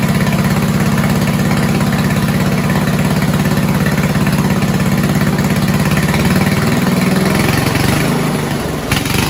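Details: 1970s Roper 1032 snowblower, probably 10 hp Tecumseh single-cylinder, on carb with fixed-jet bowl: uneven idle sagging and picking up, hunting; lean idle mixture.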